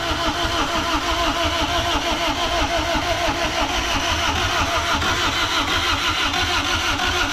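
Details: Freshly rebuilt Honda D16Z6 (rings were bad, heavy smoking), first start attempt: steady starter churn about three beats a second with no catch; cranks but won't start, getting fuel but no spark from the distributor.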